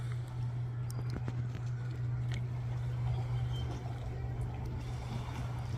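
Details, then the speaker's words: Yamaha Waverunner 800 two-stroke after engine installation, running on the water, a little cold: low, steady drone with water splashes, no stumbling or misfire; starts right up, runs great. "It runs great. Starts right up, no problem. It's a little cold, just like most two-strokes are."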